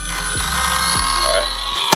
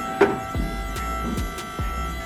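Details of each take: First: Datsun 1200 fitted with an Astra electric power steering pump, being bled after a fluid top-up. Steady, gritty high whine until power is cut; the pump sucked all the fluid through and is drawing air from the low reservoir. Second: Astra electric power steering pump fitted to a Datsun 1200, wheels off, after fixing hydraulic leaks: steady whine with a few clean tones and light clicks, no groaning or surging; steering assist working properly.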